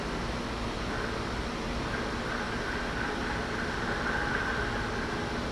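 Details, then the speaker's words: Scrapyard-bound shop fan being revived: constant rushing hiss with a rough gritty edge at steady speed; motor bearing sounds unhealthy, possibly from sitting in water, not confirmed. "definitely sounds like that Baron's not very healthy but probably been sitting in some water"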